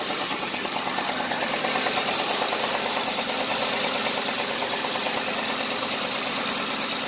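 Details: 2009 Ford Crown Victoria, ex-police car with flex fuel; check engine light on and the oil change is overdue before servicing. At a rough idle there is a light, quick ticking about twice a second. The cause can't be pinned down by ear; suspected, not confirmed.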